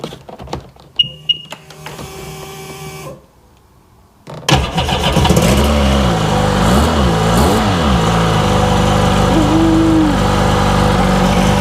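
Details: 2002 Sea-Doo RXDI after engine reinstall, loose ground wire suspected: after clicks and a pause it fires at once and settles into an even, steady idle with no misses; starts and runs normally.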